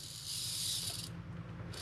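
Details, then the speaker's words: 1980s Bachmann pancake-motor model locomotive drive, different motor after greasing gears, no cracked gear: light even whir with soft hiss, no clicking; normal running. "we don't have anything broken in here so this is already a better day no noise no click click click click click click click click click"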